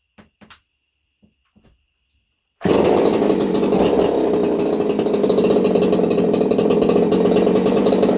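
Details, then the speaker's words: Craftsman 2.8 (Poulan 295/4620) two-stroke chainsaw with modified muffler (baffle and screen removed, 5/8-inch-bore tube welded in), recorded on phone audio: fires and holds a loud, steady buzzing run, even firing, no misses; normal running. "I'm going to go ahead and fire this puppy up for you guys. That way you can hear it run. Again, sounding okay."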